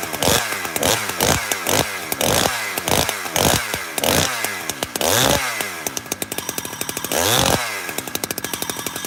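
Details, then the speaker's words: Chainsaw (86cc) after cold start, at high idle without original muffler: revs rise and drop in bursts with a light metallic rub over the engine note; clutch washer rubbing on the E-clip, present since new. "You know what that is? That's the clutch washer with the E-clip. That's what it is. It's made that noise since brand spanking new."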